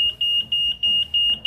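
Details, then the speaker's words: Android keyless Wi-Fi remote alarm fitted plug-and-play on a Yamaha NMAX, module in safe mode: sharp high-pitched beeps about three a second when the ignition is switched on; alarm triggers, confirming safe mode is active. "Ini kan mode aman, seharusnya di kontak ini alarmnya bunyi. Ini juga akan bunyi. Nah, ya kan? Ini menandakan bahwa ini masuk ke mode aman."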